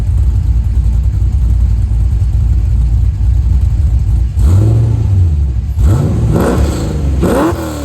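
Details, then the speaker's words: 1989 C4 Corvette with an LQ4 LS swap and 2.5-inch dual pipes, after swapping 3-inch Flowmaster FlowFX mufflers for 2.25-inch Borlas: a deep, even idle rumble and clean rev blips; quieter, with no drone or rattle. "I think it sounds a lot better. It's quieter, it's not as loud. Obviously, it was the point of it, but you know, it has that, you know, nice crisp V8 sound still."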